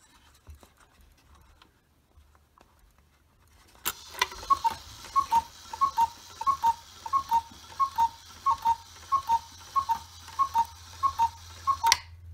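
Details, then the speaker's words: 1970s Black Forest cuckoo clock after cleaning, WD40 lubrication and a bellows link made from a bent jumbo paper clip; clock triggered from the back, clear two-note cuckoo repeating evenly about 1.5 per second; normal cuckoo call. "I'm going to try and trigger the clock here by reaching around to the back, hopefully not knocking it off the wall, and then we can see everything working here."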